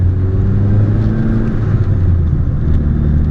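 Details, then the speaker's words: Saab 900 with freshly rebuilt engine, 20-30 miles into a 500-mile break-in, driven out of boost below 3,000-3,500 rpm with new slave cylinder: deep, even engine rumble at light throttle, no ticks or knocks; normal running under light load. "And while my initial impressions are, when the car is running like it should, it runs fantastic."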